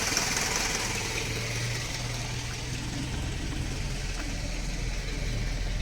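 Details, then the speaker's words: Dodge Raider, 2.6L 4G54 Astron four-cylinder with Weber 32/36 carburetor, after electric fuel pump conversion, warmed up after a drive: fires right up, steady even idle with low hum, no knocks, stumbles or whine; healthy. "Fires right up just by bumping the key. Sounds good."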